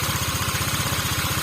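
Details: Honda Vario 125 Techno water-cooled scooter after repair of an overheating fault, original bore, idling during a one-hour run test: even single-cylinder putter at about ten pulses a second, smooth, no knocking or hunting; healthy.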